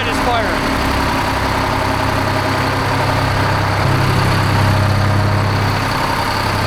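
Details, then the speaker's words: 1975 Peterbilt 359 with Detroit 12V71 two-stroke diesel, started after 30 years dormant: rough lumpy idle, one bank dead cold yet hardly slobbering, only spitting a little; owner suspects a plugged exhaust on that side, not confirmed. "it ain't hardly slobbering I mean it's spitting a little bit but you would think it would be spitting way more with that side being dead cold"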